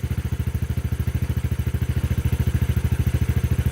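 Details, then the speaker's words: 250cc Hammerhead go-kart, once non-running with a dead battery and broken throttle, cranked with no throttle after basic repairs: an even single-cylinder putter at about two and a half beats a second. Smooth idle, no longer shaky as before. "Wow. Yeah, it's even running better. Like, it was really shaky before. Now it just sounds smooth."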